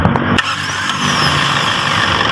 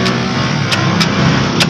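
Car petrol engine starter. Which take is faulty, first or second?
second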